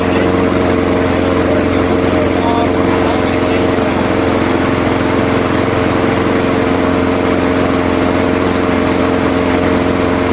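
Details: Craftsman 21-inch mower, 5.5 hp Honda GCV160, running to warm the oil before an oil change, after a smoky first start, until fuel runs out: steady, even single-cylinder drone at constant speed, no misses, surging or knocks; healthy.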